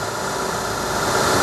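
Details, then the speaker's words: 2005 Joly engine at idle, engine bay shown: short, even, steady hum with no knocks or uneven beats; engine described as extremely smooth, normal idle. "máy êm bà con ạ máy cực kỳ là êm"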